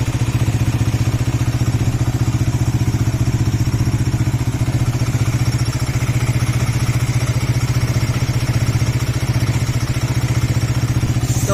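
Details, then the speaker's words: Suzuki GSX-R with about 21,000 km at idle: steady idle with a faint thin high whistle; an engine stethoscope traced it to the water pump; worn water pump seal and bearing. "এটা একটা kiss kiss করে আওয়াজ হইতে থাকে। তো এই আওয়াজটা যখন হয়, এটা আপনার অনেকটা বাঁশি দেওয়ার মতন আওয়াজ হয়। তো আমরা যদি ইঞ্জিন স্টেথোস্কোপ ইউজ করলে এই আওয়াজটা কমপ্লিটলি আসে ওয়াটার পাম্প থেকে।"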